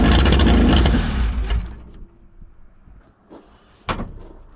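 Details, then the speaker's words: 1985 Honda Civic parked 16 years, after fresh oil and cleaned battery connections: with fuel poured into the carburetor it catches with a rough, uneven roar for about 1.5 seconds, then dies. "That is unbelievable. It ran. It just started."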